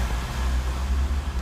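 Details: Ford Ka 3-cylinder at about 34,000-35,000 km with battery light flashing: low uneven rumble at idle with rough pulsing churn from the front; alternator overrunning freewheel pulley faulty, being replaced.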